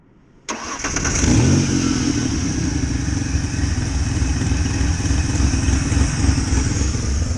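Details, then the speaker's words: 1993 Ford Ranger 3.0 Vulcan after cheap rebuild: short crank then catches into steady, slightly luggy idle, ignition timed by ear and compression uneven; starting issue still unresolved, cause not found. "we still got that starting issue to fix on this truck"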